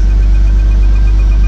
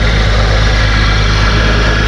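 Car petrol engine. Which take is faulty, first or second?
second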